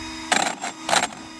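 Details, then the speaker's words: 8S Traxxas X-Maxx with TP5850 motor and Hobbywing Max 5 ESC, after hitting 57 mph: two raspy bursts over a faint hum; owner first suspected a loose gear, then found a solder joint ripped out of the ESC. "that noise there makes it sound like one of my gears that came loose. Let's pop this open and take a look."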